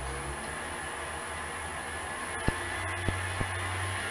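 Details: Clarke CL430 lathe converted to VFD and 3-phase motor, after EMI suppression shielding: quiet steady motor hum with faint high drive whine and light clicks, constant speed about 1092 max; runs smoothly, tacho interference gone.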